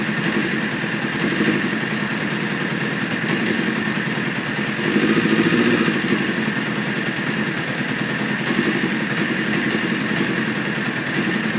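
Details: 1995 F3 motorcycle with idle set at 2200 rpm: hunting, lurching idle that swells and sags every couple of seconds, often at idle and on cold starts. It takes 10 seconds of cranking and some white smoke to start.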